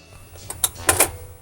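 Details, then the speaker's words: Refurbished 1965 GE Stereo 400 portable record changer, set for 12-inch records, cycling with no record: light clicks and one soft clunk, no grinding or scraping; much quieter than before refurbishing, smooth and well lubricated. "that's actually a lot quieter than it used to be I don't know if you can tell that on the microphone or not"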